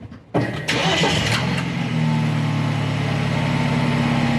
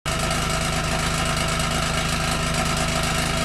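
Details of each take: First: 2013 BMW 328i xDrive petrol engine cranks, catches with a flare of revs and settles to steady idle while attempting to seat the muffler control valve actuator clip causing exhaust rattle. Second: 2013 BMW 328i xDrive F30 at idle: loud fast metallic buzzing rattle from a loose exhaust flap valve on a rear tailpipe, its muffler control valve actuator clip failed; fixed by replacing the clip.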